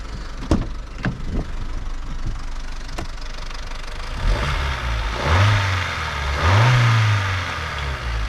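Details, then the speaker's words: 2005 Vauxhall Corsa C 1.4 SXi at idle: a light metallic clatter about four per second that fades under revs and returns at idle, with the rattle heard only at idle; timing chain rattle. "like so there's definitely a rattle there that idle so I think it's going to need to be"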